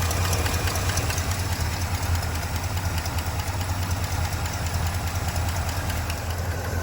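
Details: 1966 Pontiac Grand Prix, apparently original 389 four-barrel V8, first start since 1992 after sitting in a shed, fresh oil: deep lumpy idle with a fast uneven tick, a little blow-by; owner hopes tick goes away, cause unconfirmed.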